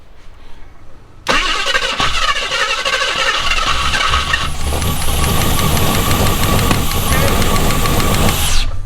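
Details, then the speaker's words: Jeep Scrambler with valve-train fault, one pushrod not moving its valve (lost lifter or not pumping up): cranks, catches, then runs with an uneven lumpy stumble; dead cylinder, later found bad lifter, bent pushrod, likely flattened cam lobe. "so this one is not moving at [Music] all but we don't know whether we lost the lifter or it's just not pumping up either way it's it's not moving the push rod to move the valve"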